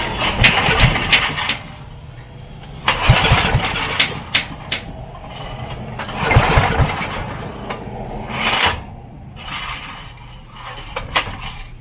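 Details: Coleman Contractor 4200 generator sitting for years: repeated pull-cord cranking bursts, turns over each time but never catches; spark tested and present; cause not confirmed.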